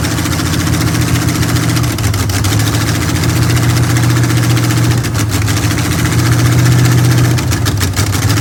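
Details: Chevy Nova with a temporary V8 on its first start; loud open-header V8 settles into a lumpy but even idle, about three to four pulses a second, running healthy.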